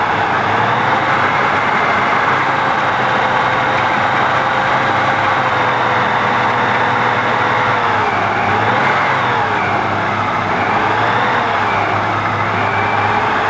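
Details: BMW M20 engine, first start after resealing the fuel system: runs but pitch sags and recovers every couple of seconds, hunting and won't hold idle; cause suspected, not confirmed.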